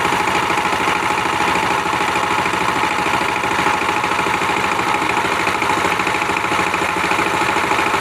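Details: Power tiller diesel engine after injector nozzle, spring and nozzle pin replaced to cure a ticking "tes tes" noise and failure to take load: even, steady idle chug with no misses, knocks or rattles; healthy, settled running.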